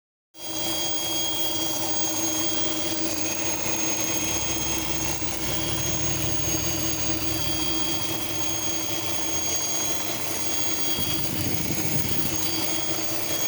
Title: vacuum leak ?